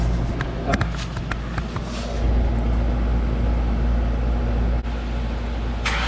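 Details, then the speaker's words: '97 Ford Mustang Cobra with the driveshaft out for removal of an exploded clutch, exhaust disconnected at the headers: it cranks, catches, then settles into a loud, raw, crackling unmuffled idle rumble, the roar of open headers. "oh that's obnoxious dude that sounded disgusting i don't ever want to hear that again"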